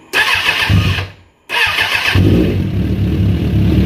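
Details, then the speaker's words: 2001 Suzuki Katana 600 after fuel delivery and misfire fix, open vacuum line capped: two quick cranks, then catches into a steady, even idle without stumbles; all four cylinders firing. "Oh yes. Oh, I can tell the difference. 100% running on all 4. Not even a question. 100% running on all 4 cylinders."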